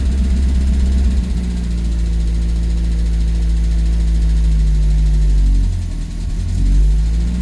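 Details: Renault R8 project car idling about two minutes after a cold start, after resetting the valve clearances, fresh oil and coolant and setting base idle; a deep, steady low idle with an even beat and one brief dip and recovery, sounding healthy.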